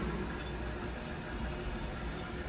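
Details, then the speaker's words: Toilet tank refilling after a plumber repaired the fill valve of a constantly running toilet and slowly reopened the supply: steady hiss and gurgle of water, no squeal or chatter; fill valve refilling normally. "Now water's refilling. It's like watching water boil."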